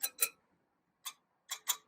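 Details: 2018 BMW R1200GS at about 500 miles, rear wheel: five sharp metallic taps on the spokes, some ringing clear and others duller, with the uneven tones revealing loose spokes.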